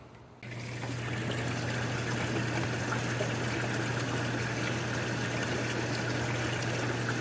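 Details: Jacuzzi hot tub that kept tripping the breaker, after troubleshooting and refilling lost water, running again. Steady low motor hum under rush and trickle of circulating water, even and unchanging; normal hot tub running.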